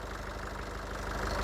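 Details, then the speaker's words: Nissan Urvan E25 ZD30 diesel with VP44 fuel pump, previously hard to start; low, even idle with steady beat, no misses, rattles or knocks, no check engine light. Normal idle. "Oke, logo engine tidak keluar. Dan engine pun cantik."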